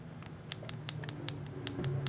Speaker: Why is it making that noise? Yeah, it's doing the same thing. Now this is loud. Okay. I think it's the rubber. It's not snappy.